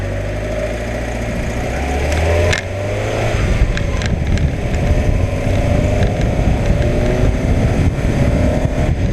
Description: What on earth is the whirring I'm hearing?